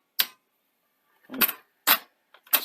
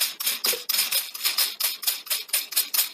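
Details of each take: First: A 1982 Sony SL-C6 Betamax, after a deck overhaul with new belts and idler tyres, ejects its tape cleanly. The eject gives a few crisp mechanical clicks and clunks in quick succession, with no grinding or straining. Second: 1982 Sony SL-C6 Betamax deck loading with quick high-pitched squeaky chirps about twice a second, then stopping; the noisy loading mechanism likely needs its shafts cleaned and lubricated.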